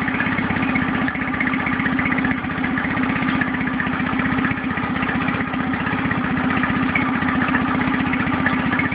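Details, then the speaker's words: Nissan 9.8 outboard on first start, choke fully in: lumpy, uneven idle at about four beats a second, bouncing and shaking. It idled smoother with a little choke or throttle, and the owner hopes break-in or adjustment will help. "yeah that's rougher than a two-stroke right there bouncing all over the place"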